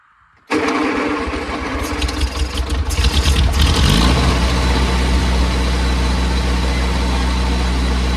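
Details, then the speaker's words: Oliver OC3 crawler engine is slow to start: the starter cranks about 3.5 seconds before it catches, then it settles into a steady idle with good oil pressure. It dies under any load, so a compression test is next. "All right, well, it takes a little bit to get it started, but then it does idle fine. Then as soon as you put any load, it dies."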